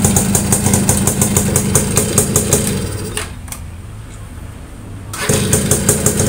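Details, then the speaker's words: Yamaha V80 two-stroke after repairing a dead electric starter (loose magnet, worn armature brushes, leaking seal): even running with steady fast ticking, a short drop to quiet, then the engine picks up cleanly; starter and engine working normally. "Jos, mantap teman-teman. Udah berhasil dari starternya yang remuk ya."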